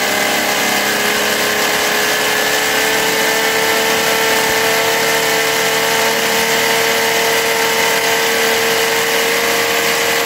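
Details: Philtech V12 model aircraft engine, 108 cc liquid-cooled two-stroke glow engine with miniature radiator, warming up: steady high-pitched buzz at even, unchanging pitch with no misses or surges; normal warm-up idle.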